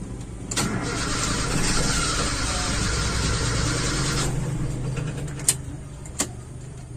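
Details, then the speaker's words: Toyota Kijang Super 5K with original Aisan carburetor and FMT jets, fed from a jerrycan with about 2 L through an empty 2 m hose: long cranking, chugging about four times a second until the air purges. "Oke saya masukkan Selangnya nanti kita hidupkan pasti agak lama benar-benar harus sampai hilang udaranya"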